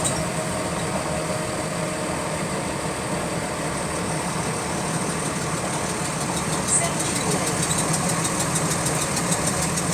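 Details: GAL WVL358 bus on route 486: diesel running with light, fairly steady tick about twice a second following engine speed; repetitive clicking in sync with engine speed, source unknown.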